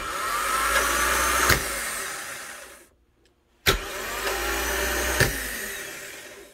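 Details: Honda Fit (2009+) starter bench-tested off the car with jumper wires: two short whirring spins with a thin high screech; worn, too-short bendix bushing letting the drive rub, the cause of its cold-start screech.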